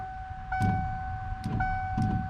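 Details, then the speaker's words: 1993 Ford F-150 wiper motor on a higher knob setting, wipers not moving on the first notch: loud steady whine with heavy surging thumps about every 0.7 s as the blades sweep; failing wiper motor. "it's like as i turn the knob they move and it's very loud i don't know if you guys can hear that [Music] and i mean that's the motor making that sound as you can see it's working when it's turned all the way up but something ain't right"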